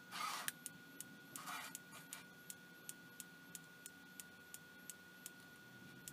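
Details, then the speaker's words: Night Owl night vision monocular (image intensifier tube, oscillator, step-up transformer, voltage multiplier) powered at 2.9 V: faint sharp ticks about once a second over a thin steady whine, likely static discharge in the high-voltage supply. "certainly sounds a lot like static discharge do you mean"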